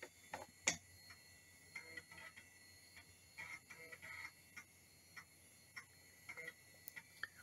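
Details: 1997 PC, rebuilt after motherboard short and failing floppy drive, booting from boot floppy with CD-ROM support for Windows 95 install: light irregular ticking as head steps across disk, ordinary floppy reading.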